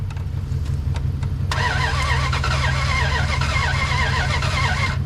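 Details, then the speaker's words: 2003 Ram 1500 5.7 Hemi, 426,294 miles, sat a while, old throttle body cleaned and refitted after failed start: cranks briefly, catches, runs lumpy and uneven with wavering note; flooded engine clearing, rough start. "That thing sounds bad. There we go. That thing was loaded up. Man, that thing was loaded up, dude."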